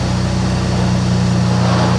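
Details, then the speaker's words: Flooded Mini Clubman after replacement engine swap, code free, revs limited to 3,500 before: steady, even low idle with smooth regular beat, no knocks, misses or ticks; normal idle. "So we're completely code free. That's a great result. Revs up now, it won't rev over 3,500 before either."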